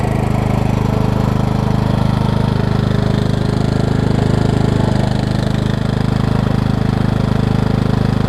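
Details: 2003 Craftsman LT2000 riding mower after new belts and freeing a frozen deck spindle: steady engine drone with blades spinning smoothly, no knocks or belt squeal; belts lining up, drive belt fine, oil clean and full.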